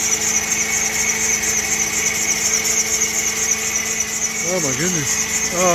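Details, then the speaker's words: PT Cruiser just fitted with a new engine, with hard starts, at idle: constant high-pitched squeal over an even idle, not heating up fast; source not yet identified, mechanic suspects wrong PCM. "oh righty guys I have no idea what that noise [Music] is not getting hot fast [Music]"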